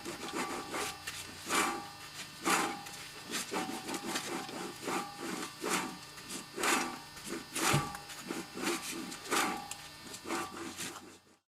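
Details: Audi A4 Quattro: rough scraping grind pulsing about once a second as the wheel hub turns; bad wheel bearing.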